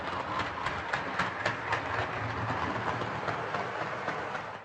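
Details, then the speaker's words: Hornby R2553 Princess Coronation "City of Bristol" locomotive hauling six coaches: rapid regular clicking about four a second on curves over a rolling whirr, with faint scraping; wiper pickups possibly on tender suspected, mechanism catching, no traction issue. "So as you could hear there, it's making quite a loud clicking sound going around the curves. It's also making a bit of a scraping sound."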